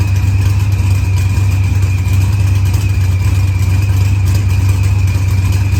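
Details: Green Challenger with a supercharged LS swap, idling after head gasket and fuel pressure sensor repairs. Idle was leaned with oddly low fuel use; timing reads 27° versus 28° target. Deep steady idle with faint constant high whine, smooth and healthy.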